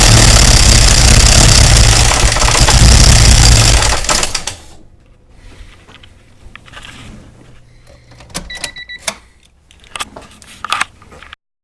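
Loud, coarse engine roar for about four seconds, then it drops away to light clicks and handling; excessive engine noise, cause not evident.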